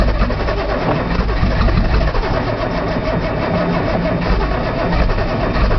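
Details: Nissan Z cranked cold outdoors with brake cleaner used as starting fluid: the starter churns the engine steadily and it never fires. Cold start valve was unplugged, solenoid checked, and the fuel pump is heard running; the cause of the no-start is unknown.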